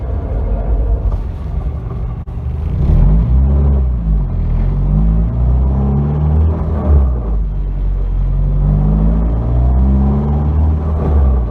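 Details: 1992 Nissan 240SX hatchback, engine running: a low rumble with an uneven rattle and scraping that surges in waves; shown as a symptom of a bad clutch.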